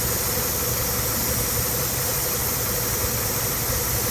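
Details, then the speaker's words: Car with hissing noise and lean check engine light at idle: steady airy hiss over even idle that stops when a vacuum line is pinched off, engine then smoother; leak where that vacuum line connects. "That means where this line's connected to is leaking. So that's a vacuum source right here. So wherever it goes at, it's leaking."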